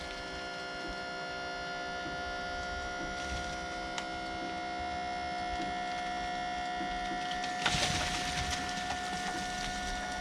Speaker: i really didn't think it would dump that that was a lot of weight and that's just a little electric pump off the side of that side of that man lift the pump that's awesome